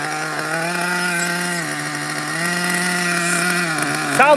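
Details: Nitro RC engine, not yet hot: high buzzing idle that steps up and sags back every second or so, hunting; owner suspects an air leak and says it needs a tune, though compression is good.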